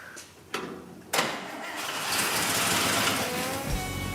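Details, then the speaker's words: Engine started right after the radiator was fitted and fuel and coolant added: it catches quickly and settles into a steady, tight, hands-off idle. A vacuum leak was the whole problem; the engine runs well. "Bill had a hunch that this was a good running engine. Sure enough, man, it sounds tight. Really good. The whole problem was that vacuum leak."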